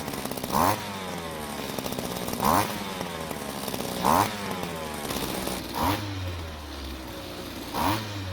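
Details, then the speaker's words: Vintage Green Machine two-stroke string trimmer; crisp engine note blipping up cleanly about every two seconds and dropping back to steady idle: engine runs well, but trimmer head won't spin, possibly clutch, drive shaft, gearbox or coupling fault. "As you can hear, the engine sounds very good, but as you can see, the head isn't spinning,"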